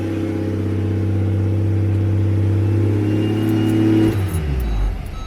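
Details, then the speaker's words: Ford Falcon XR6 Turbo put in drive with the brake held: the engine revs freely to about 2,500 rpm with a strong drone, the tailshaft not turning and no trans fault shown. The transmission input shaft is broken. "it's now revving super high which i'm really concerned about i have no idea why but i put the car into quickly hold down the brake there put the car in a drive nothing happened it's revving at two and a half thousand rpm"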